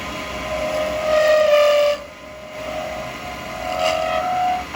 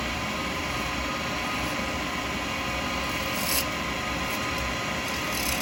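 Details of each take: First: Acrylic pen blank with beads held between centres, turned with a 12mm round carbide chisel: a high singing tone near 600 Hz swells and fades as the blank gets thinner, chatter from the thin workpiece flexing. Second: Wood lathe turning an acrylic pen blank between centres with a 12mm round carbide chisel: steady, even hiss, a smooth continuous shave with no chatter or catching; clean cut.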